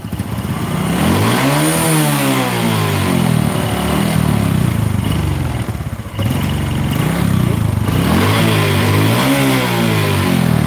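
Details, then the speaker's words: Honda Supra 125 motorcycle with slipping clutch, hard cold starts, white smoke and engine clatter: revving with a hollow metallic clatter over the exhaust as revs rise and fall; piston knocking because it is loose. "ini pistonnya yang berbunyi karena longgar"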